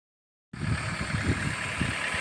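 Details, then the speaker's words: Toyota 1SZ-FE after knock diagnosis, cold, not yet warmed up: quiet even idle with soft low rumble, barely audible, no knock heard. "Шепчет. Не слыхать почти. Это еще не нагрелся."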